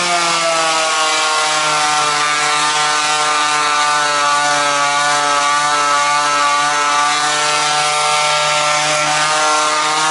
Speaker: you push down till you hear this thing kick down a gear and that tells you that you're pushing hard enough if it isn't making that sound you're not pushing hard enough